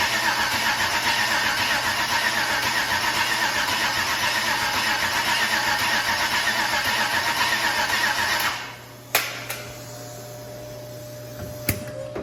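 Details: LS 6.0 V8 with a claimed 150k miles on a makeshift fuel setup, first start attempt since purchase: steady fast cranking for about eight seconds that never catches, then stops; cranks but won't fire, possibly needing more cranking RPM.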